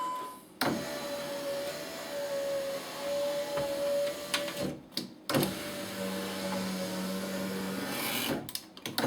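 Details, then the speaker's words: 2003 Dodge Durango front driver window after replacing the power window regulator, tested with switch plugged in: steady motor hum as glass travels up and down smoothly, no pops, clicks, sticking or binding. "No problems that I can hear. The window is moving up and down in a fluid fashion. It's not popping or sticking or anything like that."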